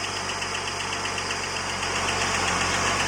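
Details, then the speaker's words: Holden VS Commodore L36 Ecotec V6 ute, first start after a camshaft replacement with 5 L of fresh oil and a new filter: fast, even ticking, roughly four per second, over the running engine; lifter tick from dry lifters still filling with oil. "run fair already have a look that was the That was the lifters"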